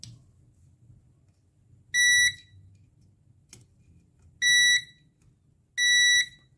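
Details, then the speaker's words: Multimeter continuity test on a BU-series NPN power transistor from an ultrasonic device board that kept blowing fuses: three short high beeps across collector-emitter and collector-base, showing the transistor is shorted and burnt. "ترانزیستور ان پی انن کلکتور امیتر کلکتور با بیس صدای بوغ داره پس اتصاله"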